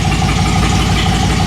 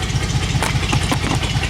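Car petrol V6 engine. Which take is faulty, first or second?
first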